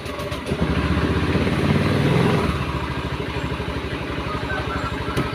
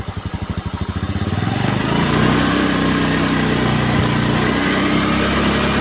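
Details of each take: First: Honda Beat eSP scooter with a rough-sounding engine and a wet exhaust: long crank before it catches, then an uneven, lumpy beat; the exhaust is black and wet, oil is thick, and it smokes from worn piston, rings and valve seals. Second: Honda Beat eSP scooter that smoked with wet exhaust and rough engine, after cylinder block replacement: fires after a few pulses and settles into a smooth, steady idle with no knocks; repaired.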